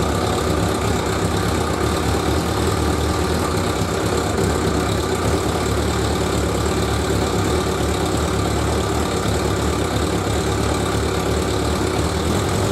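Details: 1100G motorcycle after sitting at least two months, carbs primed by the fuel pump, with a new LiFePO4 lithium battery and diodes dropping the charge voltage to 13.9 V: a steady, even idle with a smooth low rumble and no knocks or misses; running cleanly.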